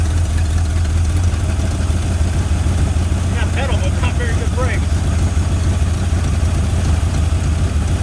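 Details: 1981 Ford Mustang 5.0 fox body revived after sitting, running without a fan: steady, even idle, slightly fast with no misses or knocks; engine sounds healthy, with the high idle thought to come from timing.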